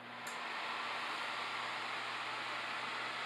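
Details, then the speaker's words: Samsung microwave after a magnetron replacement, heating a cup of water for 30 seconds: a smooth, even fan whoosh with no buzzing, and the water warms. Repair successful and running normally. "Well, there's no buzzing noise. I can hear the fans, but it's because it's outside of the cabinet. Well, I can feel it. It's warm. So it appears to be working."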